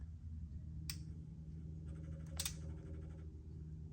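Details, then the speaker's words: 1986 Ford F150, key-hot wire touched to the post with a freshly charged battery fitted: two crisp clicks about 1.5 s apart over a low hum, the fuel pump relay pulling in, injectors believed getting fuel; normal key-on. "did you hear that so that's the fuel pump relay going on then I believe that's the little four Jets kind of getting fuel"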